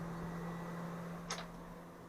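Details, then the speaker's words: Fan-Tastic Fan Model 1250 newly installed in a travel trailer roof vent, running in exhaust mode on speed 1 (lowest): steady, low, even hum with no rattle or wobble. It runs normally and gives a light breeze. "you can see, the paper does begin to move, causing a breeze inside the trailer. On the other side, same thing. That's on its lowest setting, so speed number 1."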